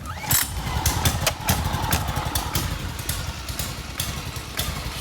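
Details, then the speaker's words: RATO 9.0 225 outboard on a 1973 Lund S-18 Resorter, cold start on choke after an oil top-up: catches quickly and settles into a busy, slightly uneven lawnmower-like putter with no knocks or misses; healthy start. "But she really kind of blows my mind on how quick she fires up. Gotta hit that choke, pop it in there."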